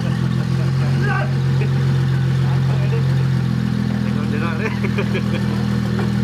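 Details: N54 twin-turbo swapped 2001 BMW 325iT E46 wagon, first start after cooling, wiring, fuel and vacuum lines were finished: engine catches and holds a steady, even idle with a smooth low drone, voices cheering over it; runs normally.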